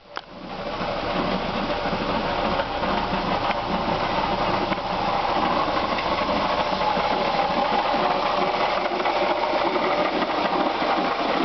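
Fast, light, uneven tapping over a steady idle, about two or three per second; worn water pump knocking at the front.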